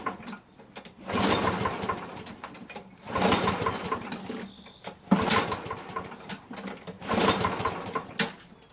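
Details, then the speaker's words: Craftsman 7 hp self-propelled mower with Mechanic in a Bottle added to the fuel: the engine surges and falls away about every two seconds, hunting. Owner says it ran fine before the additive and now hesitates; cause unconfirmed. "I hate to say this but I think it runs worse remember before I put the mechanic in a bottle in there I mean when it started it ran fine but now that I got mechanic in a bottle now it hesitates"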